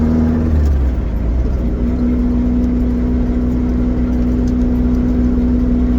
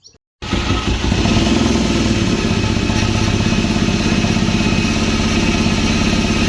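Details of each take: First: Vauxhall Nova GTE on a test drive after fitting a C20LET 2.0 16V turbo engine, warming up: a steady, even engine note with a constant mid tone and no knocks or scraping; the air-fuel ratio looks good and it runs fine. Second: Vauxhall Nova GTE with a newly fitted C20LET 2.0 16V turbo engine, first start-up: lumpy, uneven idle with stumbling off-beat exhaust pulses, a misfire because the spark plug leads were in the wrong firing order.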